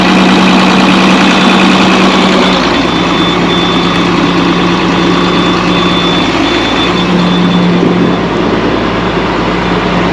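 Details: Chip box truck engine running on fuel heavily diluted with oil (about 10 gal oil in 20 gal fuel): steady, even idle with a low drone and no knocks or misses; running normally.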